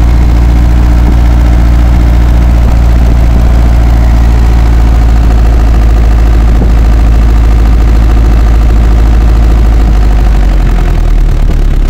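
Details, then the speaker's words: Old Isuzu Panther diesel that kept stalling as if air-locked, after cleaning dirt that clogged the fuel line and pump and bleeding air from the return hose: steady, even, deep idle with no stumbling or misses; runs healthy. "Alhamdulillah untuk hidup untuk hidupnya tidak lannya tidak pindah seperti tadi waktu kita coba ya"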